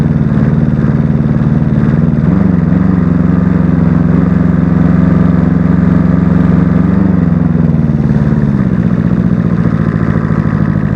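Engine idles with an uneven, loping beat, roughly three pulses a second that wander in strength; a rough idle, cause not pinned down.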